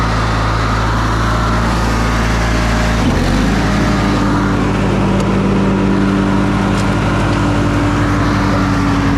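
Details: Older Briggs & Stratton Sentinel by Murray ride-on mower after starter drive gear replacement: steady, even single-cylinder drone dips briefly as load comes on, then settles smoothly with no misses or knocks; healthy running under load.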